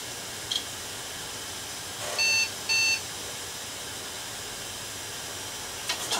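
Two short high beeps about half a second apart at startup over a quiet room; the machine is flagging a boot error. Cause suspected, not confirmed.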